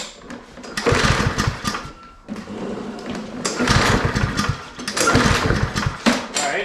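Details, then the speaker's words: Self-propelled lawn mower, cleaned and dried overnight, very clogged air filter: three rattling recoil pulls spin the engine but it never fires; no start. "nothing no life at all so one thing we could do is take the air filter off it is very clogged very very clogged"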